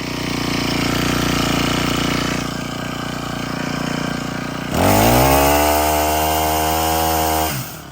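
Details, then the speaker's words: Honda GX25 on brush cutter, previously bogging and stalling at full throttle, after removing retention clip kinking fuel line to carburetor: climbs cleanly to steady high wide-open pitch without bogging or stalling; normal full throttle. "So that was the fix. Take off that little plastic piece, and which is the actual fuel line, not the return."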